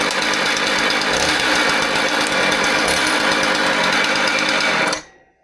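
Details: Husqvarna 130 chainsaw brought in for a noise complaint: it runs loud and harsh with a rough, clattering rattle over the engine buzz, then cuts off. The cause is being diagnosed, starting with the clutch, chain brake and drum.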